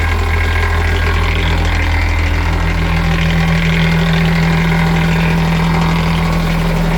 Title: Mercruiser Bravo 2 rattle noise